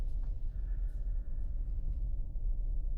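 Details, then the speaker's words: 2023 Hyundai Palisade after rear differential AWD coupling assembly replacement, slow parking-lot turn: only a low even rumble, earlier thumping from 25 mph up is gone, no clunk, bind or whine; drivetrain quiet, fixed. "Yep. No more noise. This is fixed, guys."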